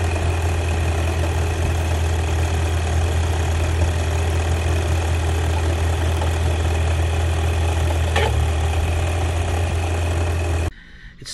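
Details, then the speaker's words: Nissan Y62 under-bonnet noise that began as a slight squeal and grew progressively worse while driving, thought to be a failing bearing. Steady low engine drone with a thin high squeal riding over it; squeal and grind in the engine bay. "off as a bit of a squeal then progressively got very bad say like a bearing and let go somewhere hopefully not in the internet there"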